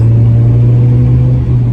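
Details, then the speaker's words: Ford Mondeo after fitting new fuel pump and second-hand coolant temp sensor, 90-mile test drive: deep smooth rumble pulling steadily under load, no stumble or misfire; problem seemingly cured, owner thinks fuel pump was cause. "Right, I've done a 90-mile test drive. Seem to have cured the problem."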